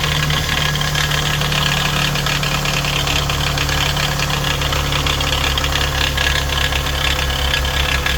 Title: Toyota 2AZ-FE engine rattle sound